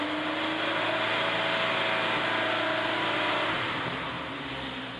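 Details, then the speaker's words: 1976 Alfa Romeo Spider, twin carburettors, after cold start, revved toward 3,000-4,000 rpm; pulls cleanly to mid revs, holds smooth then settles to roughly 1,100 rpm idle, no knocks or rattles; bouncy cable-driven tach is normal; healthy. "Sounds good. That bounciness at the bottom, that's absolutely normal Alfa."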